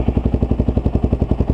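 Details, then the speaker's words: Kawasaki KLR650 after a full carburetor rebuild and mods with the idle mixture screw adjusted, warmed up: even single-cylinder thumping idle, no misses or lean bog, running clean. "red dot we're good to go temperatures come up no lean bog sounds sounds good"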